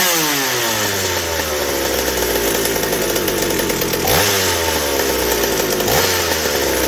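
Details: McCulloch 790 chainsaw with MC101 kart engine, header and pipe, tuned with bar and chain on: screams flat out at steady high pitch, no four-stroking burble; carb doesn't deliver enough fuel at high speed, running lean.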